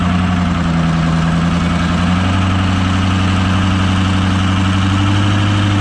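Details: 2005 Ford F350 6.0 diesel just fitted with new custom big exhaust, after start-up: deep steady idle with even low throb, no knocks or misses; running smoothly.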